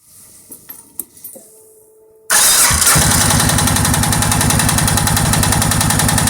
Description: Suzuki king quad 700 top end knock after rebuild